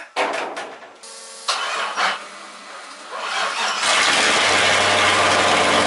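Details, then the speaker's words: LS1 V8 swapped into a Nissan S13, cold start through a new custom exhaust: cranks, catches and settles into a loud, even, deep idle with no knocks or misses; it runs and sounds good. "that's the exhaust guys it runs she's just cold right now so that's that that's the exhaust it's good it sounds good"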